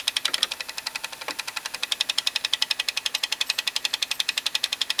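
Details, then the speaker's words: GE-rebrand boombox made early 1996, cassette mechanism playing: fast even light ticking near three per second over quiet tape hiss; drive slipping, suspected weak spring not pulling into gear, possibly loose belt. "yeah so what that noise is coming from I think I see spring is not pulling hard enough yeah it's not pulling this hard enough into the um gear and it's causing it to slip"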